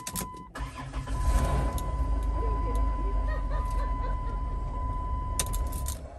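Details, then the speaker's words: Chrysler Town & Country van, 226,000 miles: cranks briefly, fires right up and settles into a slightly rough, lumpy idle under a steady chime. "fires right up runs a little rough"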